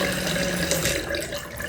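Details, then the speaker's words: Toilet refilling after a flush with a buzzing hum and a high whistle over the rushing water. The noise persists after the top of the fill valve was serviced. "And I'm going to press this down to let the water flow and see if the noise still happens. And the noise still happens."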